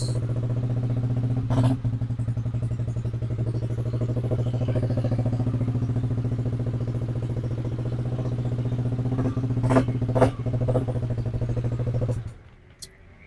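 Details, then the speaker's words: Yamaha Aerox scooter just started after repair of a dead, no-start condition caused by a faulty body wiring harness; fault codes reset, TPS 17.6, engine 50 degrees, idle stable at 1600 rpm. Even low putter at steady speed, brief handling knocks; normal idle. "Oke, nih kita sekarang coba hidupin. [Musik] untuk RPM stabil di 1600."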